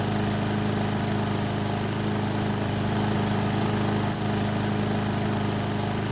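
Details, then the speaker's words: Garden Line walk-behind mower after about 3 minutes running, near normal temperature: steady even single-cylinder drone, no misses or surging; normal running. "so it's been running for about 3 minutes which means the engine should be close to normal temperature"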